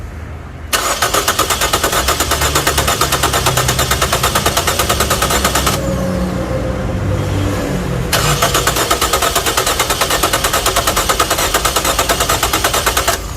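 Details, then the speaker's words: Nissan Sylphy after injector, ignition coil and throttle body cleaning service, fuel system emptied: long even starter churning, about three turns a second with a short pause, while fuel lines refill; no catch yet. "พักนึงนะน้ำมันกำลังเดินทางหน่อยครับก็ออกไปหมดทั้งระบบเลยนะ"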